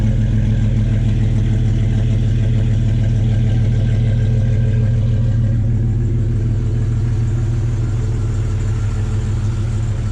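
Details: Jeep Cherokee one-ton swap build after new water pump and newly welded full exhaust: steady even idle with a deep low exhaust rumble, no ticks, knocks or leaks; normal idle.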